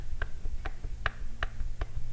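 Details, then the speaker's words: Kawasaki KX65 engine, seized and overheated, piston scored on the exhaust side: sharp metallic clacks about twice a second as the bare connecting rod is rocked by hand. Excessive up-and-down play shows a worn rod bearing. "let's check the rod for up and down play oh yeah that thing's toast the rod bearing in the in the crank is"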